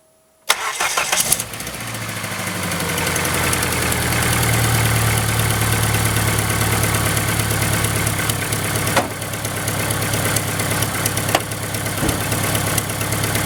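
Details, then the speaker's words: 1999 Dodge Neon after heater line replacement and EGR delete, starting: catches and idles with quick uneven ticking over exhaust note, leak blowing out back of exhaust manifold; exhaust leak tick. "Exhaust leak right there. At least I found it right away. It's blowing out the back of it, which is really, really weird."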